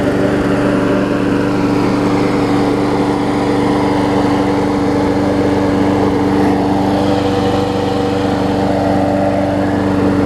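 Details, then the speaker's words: Briggs & Stratton Quantum push mower just after carb cleaning, primed and started; a little smoke, apparently oil on the muffler, clears. Steady, even single-cylinder drone at constant speed, no misses or surging. Normal running. "Let's see if we'll make sure the smoke clears. It's just oil on the muffler, it looks like though. Great now, that's great."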